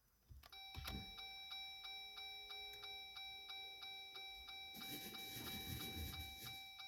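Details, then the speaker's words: 2021 Jeep Gladiator EcoDiesel after a fuel filter change, key-on priming: a steady ticking chime over a faint pump hum, then a rushing hiss as the fuel pump primes and pushes trapped air out through the return. "yeah did you hear all that air working out since we just heard air working out what we're gonna actually do is we're going to do this six times I can still hear air working out the return"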